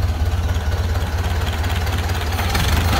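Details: 1931 Ford Model A, flathead four, 200.5 cu in, about 4.5:1 compression, just revived after 65+ years stored; low, slow, even thump about three beats a second, no misses or knocks; smooth, healthy low idle.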